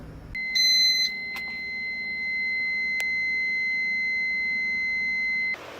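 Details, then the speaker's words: Mazda RX7: a few quick beeps then steady high-pitched tone about five seconds; low coolant warning chime because low coolant sensor wire snapped off, later soldered to silence it. "Next thing I want to do is, this is my low coolant temperature sensor, and I snapped it off on accident when I was working on it somehow, and look how much freaking wire I have to deal with. It's like a nub. So hopefully I can fix that so I can make this sound go away."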